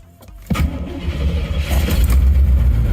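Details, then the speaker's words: 1987 Corvette C4 after recharging a dead battery, no code, IAC working: lumpy uneven idle with a low stumble about four times a second; terrible misfire, owner guesses a plugged fuel injector. "But can you hear how it's got a terrible miss? It's going to eventually throw a code. It just has a terrible miss."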